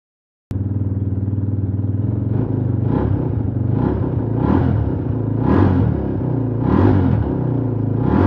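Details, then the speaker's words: Suzuki DR350, unrun over ten years, test run with choke off: single-cylinder thump holds steady with gentle rev swells about every second, no misses or popping; starts and runs okay. "But boy, she started up pretty good. I'm gonna give her another try. Turn the choke off during that test run, and it seemed to run okay."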